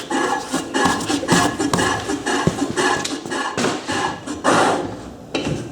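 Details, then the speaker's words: Llama trailer hydraulic drum brake after rebuild, previously inoperative: freely spun wheel gives uneven scraping rubs and knocks, then slows and stops as the brake grabs firmly and cleanly; brake working normally. "Let's just check those brakes are working, hey? Wonder if I can spin that enough. Yep, working a treat."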